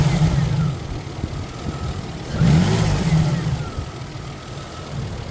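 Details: 1999 Isuzu VehiCROSS after replacing the timing belt (it was loose, with timing off 1-2 teeth), idler, collapsed tensioner, pulley and water pump: smooth idle swells evenly into a clean rev and settles back. The previous knocking is gone and the engine sounds healthy.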